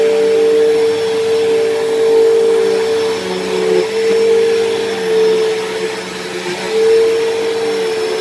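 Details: Dyson DC07 upright vacuum, long unused, vacuuming: loud, high, steady motor whine wavering slightly as it moves, harsher than it should be; worn motor bearings, worsening, possibly dried out after sitting, or brush-roll bearings suspected.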